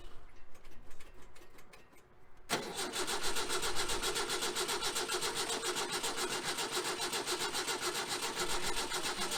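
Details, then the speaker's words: 1966 VW Type 3 Fastback with freshly rebuilt engine, jump-started due to dead 6V battery: starter cranks steadily about four beats a second with no firing; no start, traced to wiring needing rework. "well she's not even trying right now so we're gonna do some uh playing for a minute and see what we can figure out all right so travis and i need to rework some wiring"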